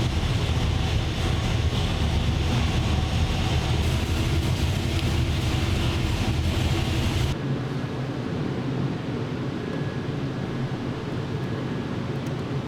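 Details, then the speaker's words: 903 cu in Hemi after changes: a heavy, choppy V8 rumble with a deep, steady lope, far more responsive than before and like a 3/4 race cam. It seems super rich; no pull made yet. Normal running. "Yeah, this thing sounds like Way more response. I mean, it sounds like it's got a 3/4 race cam in it."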